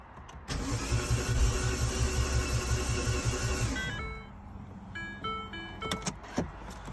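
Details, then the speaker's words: R56 Mini with big turbo fitted, first start attempt after subframe work, exhaust not connected: steady even cranking about three seconds, never fires; fuel smell but no leak seen; cause found to be incorrect engine timing, no start. "Um, no fire. Um, have to have a look. Smell of fuel after you turned it over a few times, but um, see no fuel seems to be leaking."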